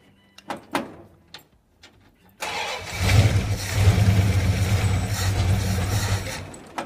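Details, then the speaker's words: 1935 Ford truck, previously locked up, cranking: steady cranking about four beats a second for several seconds that never catches; no fuel reaches the carburetor, crank no start. "oh oh no fuel that might help yeah that needs to be wired in"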